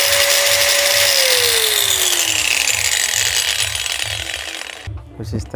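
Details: 600-model angle grinder after a bearing replacement and carbon brush refit, fixing its earlier loud noise: a steady high whine, then a smooth falling pitch as it coasts down with no grinding or rattle; normal running after repair.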